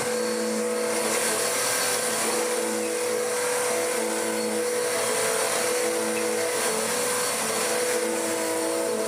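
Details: Dirt Devil DD6114 (Electrolux Contour clone) upright vacuum, first run before restoration, short-pile height: steady motor whine with constant drone and slight rub; overly thick drive belt dragging and running hot, hot-belt smell, poor suction, possibly decade-old bag.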